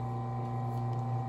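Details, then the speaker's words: Consew 110–115 V clutch motor on a sewing machine: steady low hum holds continuously with the pedal released, the motor spinning constantly at idle as this motor type does. "listen to the motor the clutch motor it's a uh 110 volts 115 volts there's the noise i don't know if you can hear it it's it stays on like that"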